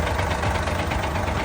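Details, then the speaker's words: Victor 380 diesel with an aftermarket tuning (push) box switched on at idle: hard, rapid knocking rattles. Timing from the box causes diesel knock; sound returns to normal when the box is switched off. "ะครับนะนี่อาการอย่างงี้เลยคือเสียงไม่ไพเราะหูนั่นเองนะครับพอปิดก็จะปกตินะครับ"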